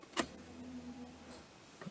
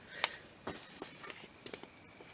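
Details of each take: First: Mustang that sputtered and then wouldn't stay running after running near empty, fuel gauge just above E: at key-on a click, then a soft low electric hum for about half a second; the fuel pump now primes and seems to pick up fuel normally. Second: Ford Mustang that sputtered when nearly out of fuel, camera under the gas tank at key-on: clicks, then thin steady whine for a couple of seconds each key cycle; fuel pump priming sounds abnormal, cause not yet found.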